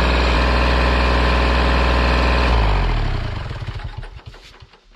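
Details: Kubota L2501 tractor diesel at its 400-hour service, after changing oil, filters and hydraulic/hydrostatic transmission fluid: an even, steady idle that runs cleanly, then shut off and winding down smoothly; it sounds healthy.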